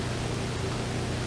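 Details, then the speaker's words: New brake booster on a Corvette being tested with a hand vacuum pump: it held vacuum on the gauge, then a steady, even rush of air hisses out on release; booster sound, unlike the cracked old one. "it held a vacuum and you could hear the air leak out of it."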